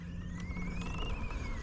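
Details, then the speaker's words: E Ride Pro SR electric dirt bike on its first ride, rolling slowly: a faint, high, wavering "crying" squeak over the low motor and road rumble; the source is undetermined. "It's like a little crying squeak."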